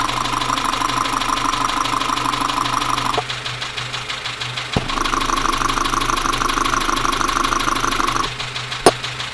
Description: Engine is knocking on this Dacia Sandero so I used a stethoscope to try and track the noise.